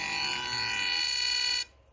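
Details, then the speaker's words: 3D-printed BLDC motor first run at 20 V, transistors smoking, basic drive without FOC: loud steady high-pitched shrill whine with stacked tones, then cuts out; rough drive switching noise suspected, not confirmed. "so i don't have it set up [Music] very well it's noisy as hell"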